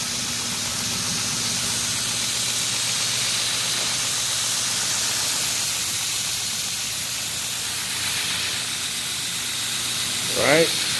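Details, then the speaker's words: Scratch-built DIY KMG 2x72 clone belt grinder running with an even, steady belt hiss over a low hum, no vibration, knocks or flutter; normal running, tracking works fine. "very smooth very quiet no vibration all you can hear is the belt going around pretty nice unit"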